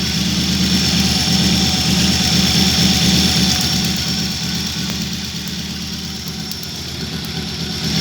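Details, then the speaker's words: 1986 Audi 100 C3 2.0 at idle: uneven lumpy beat about 3/s, misfire, knocks when revved. Cap, rotor and wires already replaced; earlier lifter knock, cylinder 4 suspected, top or bottom end unknown. "Начал ничего не с того движок троить. А когда газуешь, появился стук в нем."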